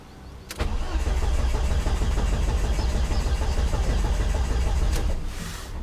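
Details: Volvo S40 with Holset HX40 turbo on new Speeduino ECU, after correcting crank sensor polarity with injectors fitted: starter turns the engine steadily for five seconds, never catches; fuel pump not yet ECU-controlled, later re-pinned.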